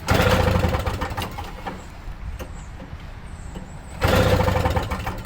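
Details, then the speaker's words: Toro Snow Commander snow thrower, pull-started with choke off after spraying brake cleaner: two rough bursts of cranking with a few coughs but no catch; owner suspects flooding from pouring in two-stroke. "it sounds like it wants to do something"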